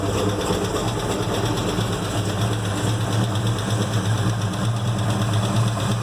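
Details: 1970 Chevelle SS 396 V8, first running after rebuild and dyno run-in: rapid light ticking over a deep steady idle, sounding like lifter noise; valve cover pulled revealed a rocker arm that had worked loose.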